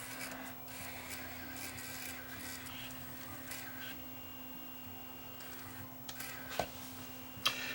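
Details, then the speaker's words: Digital tape recorder after repair: mechanism whirs evenly with low steady hum and light rubbing, no squeak, then clicks; fixed. "Looks like it's not making that noise anymore, not squeaking."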